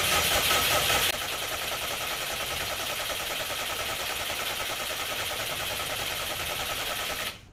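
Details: Subaru Brat with WRX engine swap, long unstarted, number 3 spark plug found wet: starter spins the engine steadily for several seconds but it never catches or fires; cranks, no start, cause unknown.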